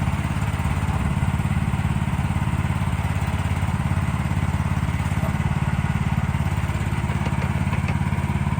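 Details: 2024 Lanty LAT-13 mini excavator, new and unused, gas engine: steady, even idle with a low chugging beat and no knocks or misses; sounds healthy.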